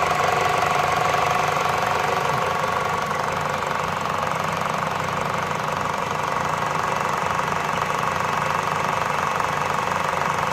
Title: CItroen C5 1.6VTi ticking noise